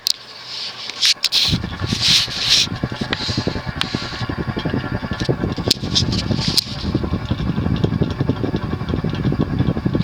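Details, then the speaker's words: Windward (TAT) CF2 36" ceiling fan, about 1980, cast-iron motor, on medium via FanSync receiver, with smooth but worn bearings: a motor hum with an uneven light rattle and clicks from the loose, unsecured washer on the decorative nipple. "sounds like there's a little bit of actually the rattle that what sounds like barking you hear it's just the nipple because the areola of the nipple or rather that washer there it's loose it's not held down by anything"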